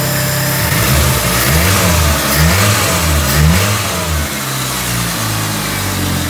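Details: Peugeot 206 after repair of the engine wiring harness, which had caused stumbling under throttle: engine climbs and falls through several clean rev sweeps with no stumble or hesitation. Revving normally.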